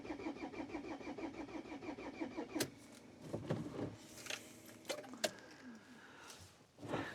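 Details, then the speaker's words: Pizza van diesel in hard frost, cold start with thick oil, glow plugs cycled; earlier diagnostics showed a glow plug error: quick even starter pulses about two and a half seconds, then clunks, never catches; no-start, glow plugs suspected failed. "kui ma diagnostikat tegin, siis oli kirjas, et mingi, mis on see glow plug error, aga vaatame."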